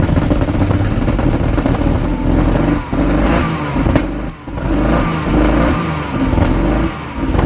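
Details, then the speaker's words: 1997 Jaguar XJ6 X300 3.2 manual, after replacing the crankshaft position sensor following a breakdown: engine revs unevenly, note dipping and surging about every second; lumpy running, owner suspects excess fuel from repeated start attempts. "KY so it sounds like the engine is now running although it sounds very lumpy indeed I suspect it was probably the excess fuel buildup with me trying to start it several times before I replaced the sensor"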